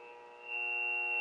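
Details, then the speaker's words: Knight T-60 transmitter with Heathkit VF-1 VFO, tested on AM with counting into the mic: steady, piercing howl of several pure tones swelling and fading; acoustic feedback, confirming AM modulation works. "okay now we're going to test it on a on am and you can hear quite a bit of feedback"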